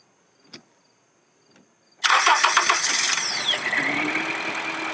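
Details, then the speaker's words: 2004 Acura with a 2.4 i-VTEC DOHC engine, misfire codes P0301–P0304. In an idle coil-unplug test, disconnecting one coil leaves the uneven loping idle unchanged, so that ignition coil is confirmed bad. "and you see the engine changes sounds so that quill is good there this one here is definitely bad"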